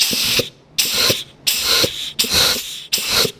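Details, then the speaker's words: Air check on a rebuilt Ford C4 automatic transmission during final assembly after setting clearances: five air bursts to the front band servo, direct clutch, forward clutch and reverse band servo, each with a soft click as the piston applies and releases; normal clutch apply. "Air check for the front band servo. Air check here for, I believe that's the front drum, the direct clutch. And if I remember right, this is the forward clutch. And then over here is reverse band servo. So you can hear these things click in with clutches."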